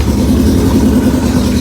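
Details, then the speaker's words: 1981 Yamaha XJ650 bobber cold start with choke held by hand, fuel tap off: loud steady fast idle, slightly rich and lumpy low end, getting louder as it warms; normal cold start on choke. "As you can hear, it's getting louder from holding the choke. It's warming up. It doesn't take long, really."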